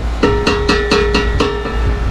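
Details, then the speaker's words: Mazda Miata drift car at start-up after hard freeway driving: about four metallic bangs a second clatter over the idle as the exhaust shakes, pointing to a cracked exhaust near the hanger mount. "this freaking exhaust is [ __ ] shaking like i'm talking about i lift i turn the key over damn i got dirty already i turn the key over that freaking it's just bad bad bam"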